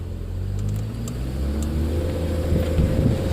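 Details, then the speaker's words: 2006 Trailblazer pulling away in gear after the starter fix: low, even engine rumble with no repeating metallic ting, the marble-in-a-tin-can noise on take-off is gone; normal take-off. "yes that noise is gone so hey guys thanks for sticking with me through the video all right guys and just like that no more noise and we are done"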